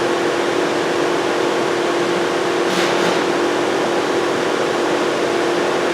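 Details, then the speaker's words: 2007 VW Jetta 2.5L, crank-no-start, no check engine light, ECM not communicating with the scan tool, key on: loud steady cooling-fan roar with a constant hum and no cycling; the fans are stuck on high. "so basically that's where I'm at with this car no communication fans running all the time no check engine light"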